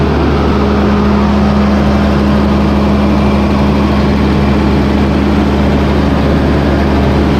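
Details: John Deere 8320T tractor, 8.1 L diesel, idling with the valve cover off after the overhead valve adjustment: steady, even idle with a smooth low drone and no ticking or clatter; the valve train sounds healthy.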